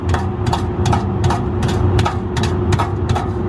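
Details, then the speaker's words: Under-car recording at the catalytic converter: over a steady idle, a metallic rattle bursts almost three times a second, attributed to broken honeycomb loose inside the cat, which needs replacing. "I think it's the honeycomb inside of the cat, which is sucky."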